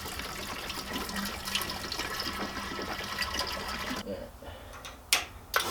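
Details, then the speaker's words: Subaru EJ205 swapped into a Honda CRX, fuel system pressurized with pump before first start: steady liquid hiss and splashing over faint pump hum; fuel leaking at the rail from a pinched injector O-ring. "But anyway, I apparently pinched the O-ring on the injector. The good news is I'm a hoarder and I have plenty of extras."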